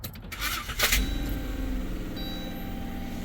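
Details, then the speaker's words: Harsh scraping clatter while the starter cranks, then the engine catches and settles rough; a chewed-up tooth or cracked flex plate is suspected, unconfirmed; vehicle also has internal transmission codes (P0868), suspected torque converter/front pump failure. "Like as it was cranking? That could be a chewed up tooth on the not flywheel, flex plate. It could be a chewed up tooth on there. Okay, it could be a cracked flex plate too."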